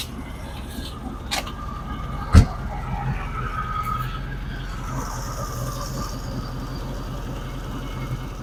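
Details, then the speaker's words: Volkswagen Beetle flat-four after fitting a new set of spark plugs (old plugs badly smudged): struggles briefly, fires with a sharp catch, then a steady low even rumble at idle with no misses; running normally. "I figured about it was gonna be dead and then it struggled a little bit turnover but then it busted right off"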